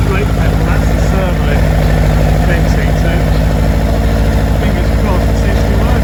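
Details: Lotus Elan being readied for first test drive after brake repairs: deep, steady engine rumble with an even beat, no misfire or knock; normal running engine.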